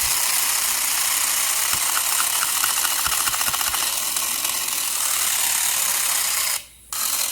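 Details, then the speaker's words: Electron Robot toy gearbox running while the housing is flexed out of alignment, believed to cause the gears to sometimes lock up: high whirring gear buzz with a quick rattling tick that changes tone as the case flexes; gear grinding from the misaligned housing. "And that, I believe, is responsible for why the gears sometimes lock up. And while it's running, you can actually flex the box and hear the different sounds."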